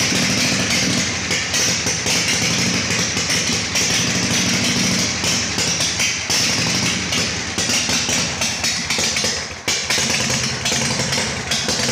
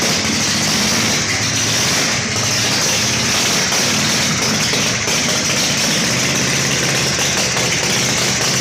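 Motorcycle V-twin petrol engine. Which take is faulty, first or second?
first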